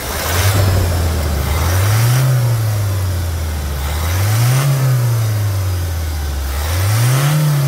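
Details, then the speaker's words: Toyota Hilux diesel at 350,000 km, new sound after timing chain replacement, for comparison with the old one: smooth idle rising through three quick blips and back down with no rattle or slap. Normal, healthy revving. "agora guerreiros vamos escutar melodia nova e você faz a a comparação aí vai lá acelera"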